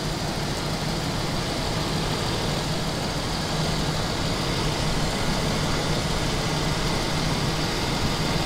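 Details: 1992 Daimler Double Six Jaguar V12, customer car, held at raised rpm: steady rushing whoosh over the rumble, no clear knock, airy noise near the oil filter housing; cause unconfirmed, similar noise on another car cured by original oil filter and correct oil.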